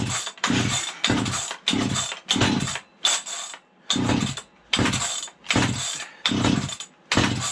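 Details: Vintage 1970s Stihl 031AV chainsaw, a rained-on barn find that sat unused, after starter fluid with the spark arrestor bent aside: repeated pull-starts give short ragged firing bursts that die at once. Fires but won't keep running; built-up oil and gunk suspected.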